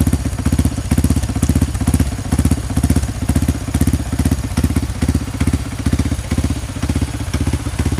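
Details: Honda CRF150 supermoto bored up to 200cc with a Juken 5 remap for idle and timing, just started. Steady, even single-cylinder thump with regular firing pulses and no knock or rattle: normal idle.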